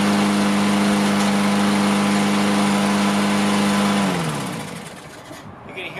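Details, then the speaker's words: Toro Recycler AWD mower, Briggs & Stratton engine, after raising idle by bending the adjustment tab: steady even hum at fixed pitch for about four seconds with no misses, then winds down; clean stable idle, sounds a lot better. "That idle came up. Sounds a lot better."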